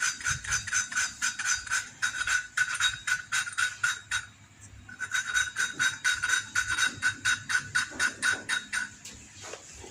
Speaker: Kalau dikira suaranya sudah halus, ya. Nah, seperti ini kan sudah halus. Tadi kan krek krek krek seperti itu, ya.